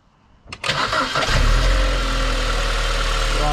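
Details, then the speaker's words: 2009 BMW E87 118i N46 after replacing the Valvetronic motor and eccentric shaft sensor for rough running, stalling and fault 2851, restarted after a wash: brief crank, catches cleanly and settles into a steady, even idle; healthy start. "okay looks okay so far seems to be running fine making a bit of oil exhaust otherwise all good"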